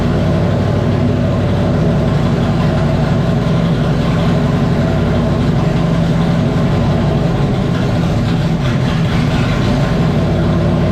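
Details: 1994 Terry Labonte Oldsmobile race car V8 after replacing bad spark plug wires and plugs (spark had been seen jumping from a wire): deep, steady burble, even beat with no stumble or popping; normal idle, running strong and smooth.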